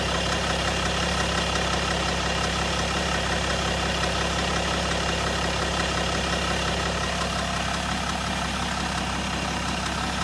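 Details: 2008 BMW 525d LCI E60/61 with the M57D30 diesel at idle: a fine metallic rattle rides over the steady clatter, diagnosed as timing chain noise.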